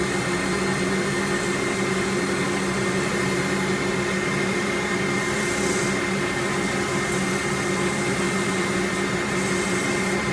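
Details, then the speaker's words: Workshop dust extractor switched on during bowl sanding: even, constant motor whine with a steady rush of airflow, no surging or rattles; extractor running healthy. "can hear me a bit better in the moment when that extractor is on this is taking all the dust straight out so it's it's a bit better for my lungs"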